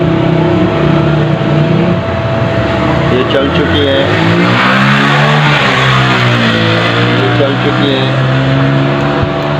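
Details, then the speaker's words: Rewound Al-Shaikh pedestal fan motor, 24-slot, three speeds with capacitor, run on a series test after reconnecting the winding: steady low hum, even tones, no rubbing or knocking. Motor runs normally, OK. "अब short भी check कर लेते हैं। हमारी motor okay है दोस्तों।"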